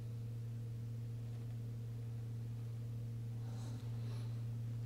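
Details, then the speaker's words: BMW F10 diesel, fuel system priming/bleeding procedure run through ISTA+ diagnostics: quiet, steady, even low hum from the electric fuel pump moving more fuel in the second stage, with no gurgle or surge. Normal pump running. "those things are more noticeable once this process goes into the second stage and the fuel pump will will move even more fuel now you should be able to hear it"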